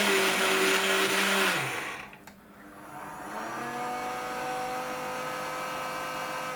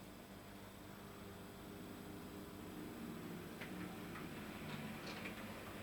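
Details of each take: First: Dapol Class 121 model loco, unused for a long time: smooth motor whine fades then winds back up with no gear or wheel noise; flywheel motor spins free because the driveshaft butterfly glue has failed, wheels not driven. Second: Dapol Class 121 model locomotive after its drive shaft was replaced, run slowly and at full speed: quiet, even motor whir with only faint light ticking and no grinding or catching; normal running.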